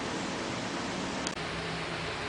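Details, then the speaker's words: BMW K75 motorcycle radiator cooling fan run by jumping relay socket terminals A3 to 15, ignition on: steady even rush of air, no ticking, scraping or wobble; fan working properly. "Alright, so here you can jump it and your fan will kick on. So I know my fan is working properly. So that was one thing I was kind of worried about, was just that fan, if it was firing on like it was supposed to."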